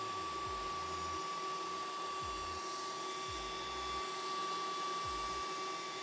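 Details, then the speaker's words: Antminer S9 Bitcoin ASIC miner just powered on, not yet mining: loud, steady high fan whine with constant pitch and some clicking underneath, coming from the small server-style power supply fan rather than the ASIC; normal power supply fan noise. "yeah i guess it's kind of kind of loud i mean it sounds like a server power supply obviously it's this little fan that's making all the noise it's not really the asic to be honest"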